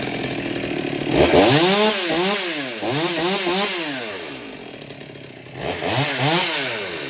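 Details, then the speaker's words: Farmertec Stihl MS200T clone chainsaw, newly built, warm restart after venting the fuel tank cured a restart problem: revs up and down cleanly several times, crisp rise and fall, no bogging or stalling; runs fine. "but after that I was able to get it to restart, and it's been running just fine."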